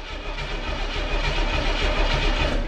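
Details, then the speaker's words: 1980 El Camino field find, recently out of a field, cranking: a quick, strong, even starter churn with no dragging, so it cranks healthily. A large carburetor vacuum leak is suspected. "she's cranking she's a sanking she's a thinking she wants to run for me"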